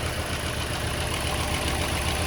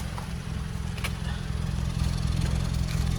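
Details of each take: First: Toyota Corolla warm petrol engine idling with check-engine light on, weak, cutting out and high fuel use: uneven pop-pop-pop beat and heavy shaking from a misfiring cylinder, before repair. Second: Toyota Corolla at idle, heard at the exhaust after repair: even, steady exhaust note with no puffing or skipped beats; all four cylinders now firing. The check engine light is still on from coil-disconnection tests.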